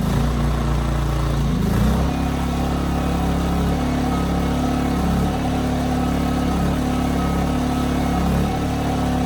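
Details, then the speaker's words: 15-month-old Ryobi RYI2300 inverter generator, after tune-up, 400 W load with auto idle: engine tone dips and recovers every two to three seconds, steady hunting surge under light load; owner suspects carburetor, not confirmed. "so that was it the 400 watt load was causing it to surge with the auto Idol on and off which is interesting to me because with a blow dryer on low it's about 700 to 800 watts I don't think it's surges at all"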